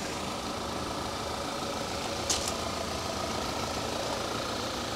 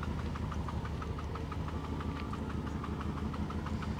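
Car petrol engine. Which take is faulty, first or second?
second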